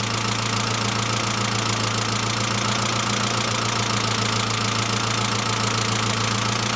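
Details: Saab C900 after engine/head rebuild, steady idle: light, fast tick about three and a half per second, lifter noise; no oil leaks, oil pressure lamp off; owner suspects oil pressure relief valve, not vigorously cleaned; return line leak apparently ruled out.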